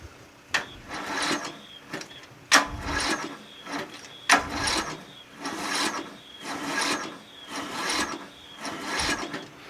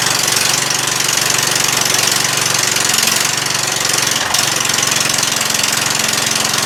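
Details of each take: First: Murray 14.5 42-inch lawn tractor being cranked on a weak 12.1V battery with a charger on starting mode and no fuel line connected: rhythmic rasping cranking about once a second with no firing; crank-no-start because no fuel is supplied. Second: Murray 14.5 42-inch lawn tractor just restarted after a cleaned gas tank, new battery and reconnected fuel line: steady, even engine beat with one brief dip, no knock or misfire, no smoke; normal running.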